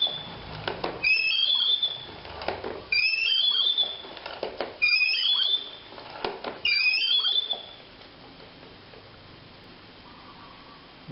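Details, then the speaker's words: 3M spin mop: four loud, shrill squeals, one with each push of the plunger. Water probably got into the inner screw mechanism, making it dry and stiff; fixed by cleaning the screw and applying plenty of fresh grease. "ดังแต่พ่อน่าจะมาจากเพรียวเรียวข้างในมันมีน้ำเข้าและแล้วมันก็ฝืด"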